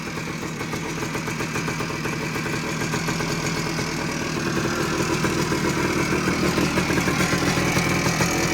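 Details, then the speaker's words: 1979 Suzuki PE250 two-stroke, revived after sitting a couple of years, 40:1 premix, not yet rideable (no clutch cable): steady even idle with slightly rising burble, no hunting or surging, owner finds no air leaks; normal idle. "see sounds pretty good I can't ride it yet because I don't have the clutch clutch cable just yet"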